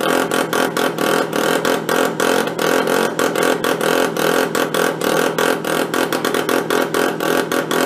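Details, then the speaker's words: Benelli Andretti M50 two-stroke scooter, 500 miles, long stored, with an exhaust flange leak: rough, uneven idle with ragged popping and spitting exhaust, won't take throttle; engine loaded up with oil. "definitely loaded up with oil huh"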